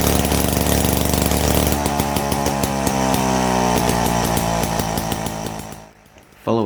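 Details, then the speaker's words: Test start of a restored 70-year-old Victa 18 two-stroke mower after a ground-up rebuild of a worn engine (bore, rings, conrod), blade, wheels, pull start and cowling refitted; crisp, even buzz holds steady speed before shutting off, running cleanly. "Now with the blade, bars, wheels properly fixed in place, the pull start pulley, and the cowling put into place, it was time to give it a test start."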